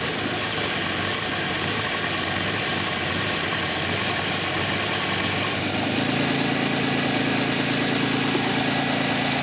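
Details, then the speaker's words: A running engine with vacuum applied to its vacuum-type EGR valve at idle: the RPM drops and the idle turns lumpy and misfire-like, running very poorly. This shows the EGR valve is working. "okay here we go right away you can hear the RPMs decrease is starting to almost sounds like it's it's missing a little bit and there you go the cars just running very very poorly now"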